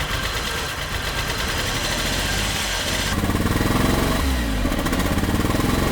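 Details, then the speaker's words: Flood-submerged Suzuki Cappuccino 3-cylinder turbo after tank cleaning: small engine chugs unevenly with a missing pulse, running on two cylinders; a stuck fuel injector is blamed. "nếu bạn thính tai thì bạn nghe nói rằng nó bắt đầu chạy bằng hai xi-lanh"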